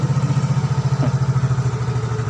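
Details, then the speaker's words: Yamaha X-Ride 125 scooter that died suddenly with total loss of ignition, after replacing the blown fuse: electric-starts and catches immediately, settling into an even, steady low putter with no misses; normal healthy idle. "kita coba starter e Hai dan langsung nyala"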